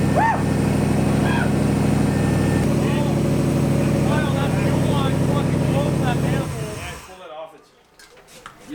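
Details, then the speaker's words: Maliboost engine, first start after 30-day build, fuel pressure about 50 psi: steady, even idle with smooth low beat, no knocks or misses, until cut off; earlier ticking possibly power steering pump; normal idle. "yes and it sounds good i was nervous there for a little bit because that ticking noise but it might have been the power steering pump"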